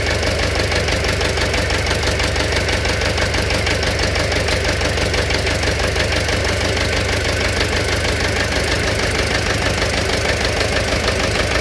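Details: Engine knock at idle: a regular hard knock of about two per second runs right through; origin unknown.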